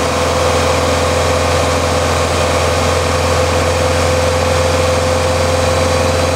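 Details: Warm Ford Mustang held at about 2000 rpm with the radiator fan off, after lambda sensor replacement cured jerking, power loss and unstable idle: smooth, even hum with no knocks, ticks or misses; normal.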